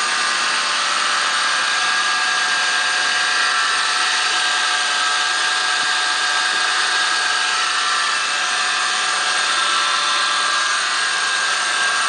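Constant high-pitched whine holding one steady pitch over the engine hum; something under the hood is whining, source unclear.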